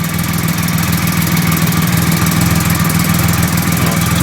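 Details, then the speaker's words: 2008 Triumph Rocket 3 after the starter relay mod bypassing the OEM relay: steady low pulsing at about two beats a second with no knocks or rattles; quick start, starter relay works perfectly; normal idle. "starter relay looks good Perfect"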